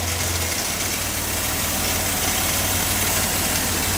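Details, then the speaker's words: 1973 Triumph TR6 barn find, six-cylinder, first cold start after 38 years dormant, fed from an external gas jug, clutch slave cylinder removed: steady, even idle with a smooth low thrum, hitting on all six, no knocks or misses. "Wow. Sounds good, though. Hitting on all six. He's hitting on all six."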